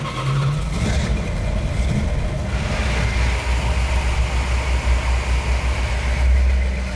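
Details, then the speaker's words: 1970 Plymouth 'Cuda 340 after engine repairs: deep, steady V8 idle with an even low rumble, 65 psi oil pressure, no miss, hiccup or noise; runs smooth like butter, engine now fixed. "it runs like a dream it doesn't miss it doesn't hiccup there's no noise in it and truly now we feel like we're done"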